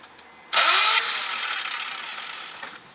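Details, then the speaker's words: Budget turbo Honda Accord, no wastegate, starting on a weak battery with essentially no exhaust fitted: sudden harsh, raspy, very loud unmuffled roar as the engine catches. "all right don't have any exhaust really so we're not gonna drive very far"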